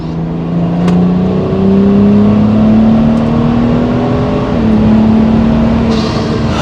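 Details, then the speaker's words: BMW E82 N55 after fuel pressure regulator replacement for fueling issues, not fully warmed up, manual mode in fourth gear: first full-throttle pull, engine note climbing smoothly and evenly with loud turbo spool, no stumble or cut-out. "Okay, so that is the first time I have been able to full throttle the car. I pushed it all the way down from a high gear."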